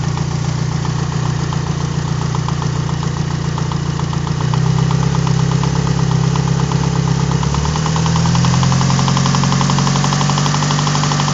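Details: Warm idling 4G63 four-cylinder petrol engine in an Evo 4 with a steady, sharp knock, about four taps a second, louder from the top of the engine, appearing when the oil is warm with the aux belt off; crank and rod bearings check fine, timing aligns; cause unknown.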